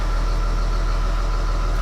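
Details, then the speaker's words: John Deere 6068AFM75 266 hp marine diesel, about 10 years old and near 11,000 hours, on a Nordhavn 52, at about 800 rpm idle during an annual belt and bearing check: a steady, even deep drone with a faint high tone and no knocks. Normal idle. "running in a boats exactly 800 rpm right there I don't like it running of extremely low rpms when it's cold"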